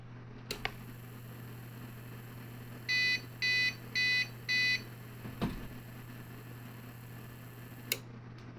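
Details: APC Back-UPS 1500 VA (BX1500/BX1000 series) after capacitor replacement, unplugged from wall on high sensitivity: low hum with four even high-pitched beeps about half a second apart; unit switched to battery normally, repaired.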